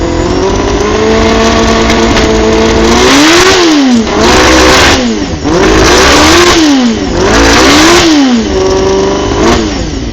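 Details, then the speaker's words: Carbureted Honda CBR250RR MC22 four-cylinder, just started after sitting 3 years. Revved repeatedly, it drops back to a slightly unsteady idle: running rough but with no mechanical knocks. Suggested remedies are heat cycles, fresh plugs and carb synchronisation. "She's running, not the best, but give a few heat cycles, fresh plugs, synchronise the carbies."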